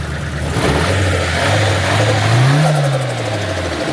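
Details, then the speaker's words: Nissan SR engine in an S13, after a new spark plug, smoking heavily: revs up and falls back with an uneven, choppy beat under the exhaust roar, a misfire on throttle; bad injectors or residual oil suspected, not confirmed. "Still missing, it looks like. Dude, the SR is the only engine I've ever had this kind of problem with, I swear."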